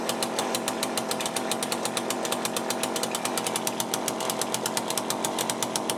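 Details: Cheap chainsaw with a Walbro carburettor, just rebuilt with a new gasket kit, first start. Idles with a fast, slightly ragged crackle and no rich burble after a hard start; owner suspects the low-speed mixture is too lean.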